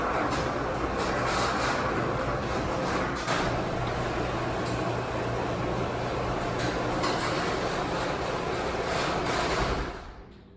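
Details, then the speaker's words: Garage door after lubrication with silicone lubricant, raised and lowered several times: steady, even rumble with no creaks or groans, then stops. "you'll hear that my garage door doesn't have the creeps and groans anymore"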